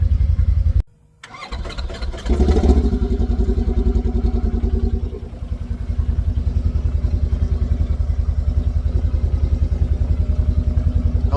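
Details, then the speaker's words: Polaris RZR 900 UTV on a cold start: the engine cranks and fires after a short pause, then idles with a slight clunking, knocky pulse, a common trait of these 900s that fades once warm. "if y'all can hear that that little a little bit of clunking right there right on the first startup especially a cold startup on these"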